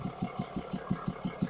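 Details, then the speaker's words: 2022 Cummins diesel with about 33,000-34,000 miles idling: hard even tick-pop about six times a second popping back through the intake; 10 pushrods and all rockers failed plus one lifter. "You can hear it ticking. You can hear it popping back up through the intake."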